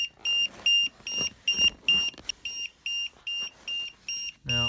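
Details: 1000 amp compact jump starter, down to 13% charge, connected to a Yamaha V-Star V-twin with the ignition on; sharp high beeps about twice a second, a dozen in a row, warning alarm.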